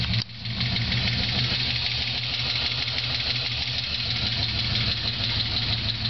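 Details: Holden VZ Senator V8 ticking straight after a bigger cam, intake and dyno tune: quick light ticking that keeps pace with the idle. It was low oil pressure starving the lifters, caused by badly worn cam bearings, not a collapsed lifter. The engine was since rebuilt.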